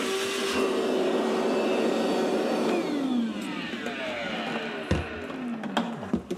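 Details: Maytag MDB9959SKZ dishwasher, about four years old, grew louder over time during wash/recirculation cycles: whirring hum with a rough gritty edge that winds down in pitch as it stops, then a few clunks; pump assembly grinding, fixed by replacing pump assembly W11416363.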